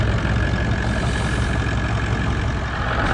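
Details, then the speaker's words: Toyota 79 Series Landcruiser 1VD diesel V8, towing a caravan in 40°C+ heat, noticed ~400 km before Alice Springs: steady idle with a low harmonic droning rumble, sounds like a bearing; confirmed failing water pump bearing. "is that all about a bit of a harmonic noise there sounds like a bearing almost"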